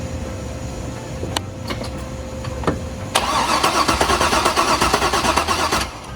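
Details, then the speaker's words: 50th-anniversary C5 Corvette Z06 V8, about 50,000 miles, sat about 3 years: starter spins with quick even chugs about three a second but never catches; no injector pulse reported, injectors suspected clogged. "The injectors might just be clogged. If it's sat for 3 years. I'd say we start with new injectors. They said they weren't getting an injector pulse."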